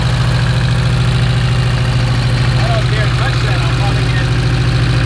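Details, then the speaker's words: Porsche 924 Turbo that long ran poorly, idling in the shop: loud uneven idle with a steady loping thump, one cylinder dropping out; suspected misfire from an arcing plug wire with worn insulation, and it runs better without the arcing. "we run better with the block completely undone let's try that again got one there it is that will make you know you're alive anyways rather better without it arcing"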